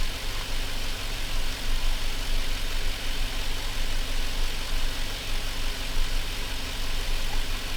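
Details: Chevrolet Silverado V8 idling on its own during warm-up after the mass air flow sensor was reconnected and the radiator installed: a smooth, steady, even rumble with no knocks, ticks or misses. Normal idle.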